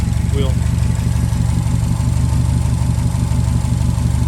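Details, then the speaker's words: 2016 Subaru WRX STI at idle: a lumpy, uneven beat about three times a second that keeps stumbling. Misfire from cylinder two at 30 psi compression versus about 145 psi on another cylinder; owner suspects a cracked ring land. "I do know compression on cylinder too unless I totally messed up uh was you know at 30 PSI which is terrible"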